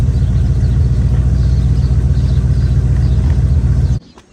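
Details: Chevy square-body barn-find truck, automatic V8 (called a 350), after timing set by ear and a distributor, carburetor and ignition tune-up: steady, even idle rumble with no misses or stumbles before shutting off; motor running decent.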